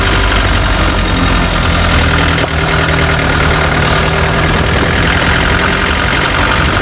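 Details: Chevrolet Tavera diesel at idle: loud steady rumble with faint, uneven tapping; owner reports a khatpat knocking sound that 10 mechanics could not diagnose, source unknown.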